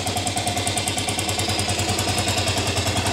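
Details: 1998 Aprilia Leonardo 125 scooter, left sitting outside, first run after a battery replacement and carburettor cleaning: the single-cylinder putters at an even, steady idle with regular firing pulses and no misses; runs cleanly.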